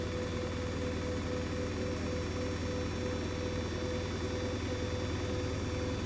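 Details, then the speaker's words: New Hoover DXC C49W3 washing machine (9 kg) spinning a half load, meter near 80 dB with an 88 dB max: steady heavy low drone with a fast even rumble; excessively loud spin cycle, cause unclear. "case that's not on no washing machine should like be nearly 80 DBS was Welly SP"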